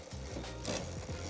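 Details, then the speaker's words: Shimano mountain bike rear derailleur after adjusting cable tension by one to two turns to fix poor upshifting: low drivetrain hum, then one crisp click as the chain shifts cleanly up a gear. Clean upshift. "den schaltvorgang noch mal merkt er schaltet vernünftig hoch"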